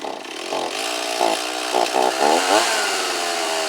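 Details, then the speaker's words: Stihl 024 AV chainsaw, not started in a while, with the carburetor internals and boot new, before seal replacement. After starting it surges in rough bursts and never holds idle. Owner suspects leaking crankcase seals, unconfirmed. "And whenever you have a saw, if it's completely tuned perfectly, but as soon as you let off, sometimes it'll idle for a second, sometimes it won't. Leads me to believe that my seals are bad."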